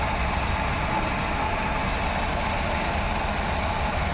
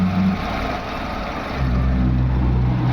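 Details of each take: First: VW Vento petrol engine, check engine and EPC lights, loss of pickup: rough uneven idle with stumble, cylinder 1 misfire; coils and plugs good, injector 1 gets no current, faulty ECM. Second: VW Vento petrol engine after fitting another ECM, replacing the original one that gave no pulse to cylinder 1 injector: pulse now present and idle is even and steady, rising briefly and settling. Misfire fixed; normal idle.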